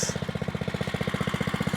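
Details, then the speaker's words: Brand-new Oryxearth 105cc pull-start mini bike, first start out of the box with oil and gas: crisp even single-cylinder putter about fifteen beats a second, steady with no misses or knocking; healthy idle. "Not too bad. Sounds good."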